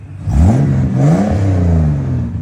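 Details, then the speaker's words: 1969 Holden HT Premier under restoration, first start after revival, in neutral: picks up and revs cleanly, note climbing and settling smoothly, no knocks or misses; normal free revving. "There you go, son. Are you joking? It's running. Back from the dead, son."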